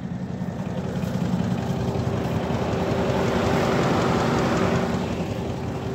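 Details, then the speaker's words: Audi A8 D2 3.3 TDI diesel, parked: soft rushing whoosh with a faint steady hum swelling and easing; the radiator cooling fan is running. "Là le ventilo tourne, on l'entend."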